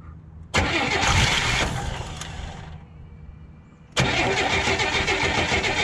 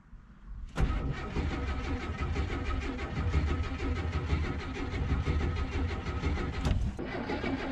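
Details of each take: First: 1981 Oldsmobile Cutlass Supreme first start after a fuel pump replacement, started without a jump. It catches at once, fades, fires again at about four seconds, then settles into a slightly uneven, lumpy idle: it runs but not happily. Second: Oldsmobile Cutlass Supreme G-body after a fuel pump replacement, cranked without priming the new pump. The starter churns the engine over steadily for about six seconds without a single catch or fire. Cranks but won't start because no fuel is arriving.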